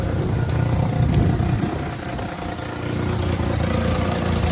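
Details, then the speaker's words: Daihatsu HiJet mini truck after a head gasket, timing belt and water pump job: small petrol engine idling, idle turned down, with a light fast ticking of about 220 per minute from an exhaust leak where the pipe joint meets. "Tried to turn that idle down a little bit because of the exhaust leak."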